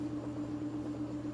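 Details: Empty top-load washer on spin after off-balance repair (zip ties, rubber grommets): steady, even motor hum with no knocking or thumping as the drum speeds up; spins smoothly and stays balanced.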